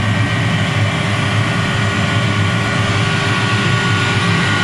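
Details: Commercial gas boiler with draft-motor-fed burner, being serviced for overheating, gas pressure still a little out: steady, deep roar with an even rush of air and no surging or popping; normal burner operation at full firing rate.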